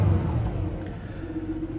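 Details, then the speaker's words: 2004 Jaguar S-Type V6 after injector electrical check and compression test; engine drops from a rev to an uneven, lumpy idle with a missing beat, misfire still present, suspected cylinder three. "all that work and we still got a misfire you can definitely hear it"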